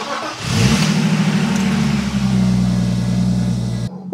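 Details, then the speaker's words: 1998 BMW E36 323 straight-six in rough shape, engine flush additive added, cranks briefly, fires quickly and settles into a smooth even idle with no knocks or misfires; sounds healthy. "listen to that sound there we guys but I got to say even though this car is definitely in a rough shape it just sounds awesome"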